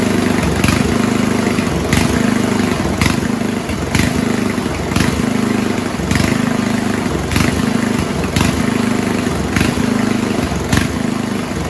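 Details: 1970s Roper 1032 snowblower, probably 10 hp Tecumseh, with fixed-jet carb bowl from another 10 hp: speed rises and sags about once a second at idle; lean idle mixture, cured by richening idle circuit.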